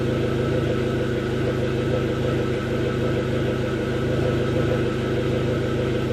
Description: My 05, SRT4 was intermittently stalling, had lean, tough idle and sometimes hesitated on acceleration. The fix was replacing the up steam oxygen sensor.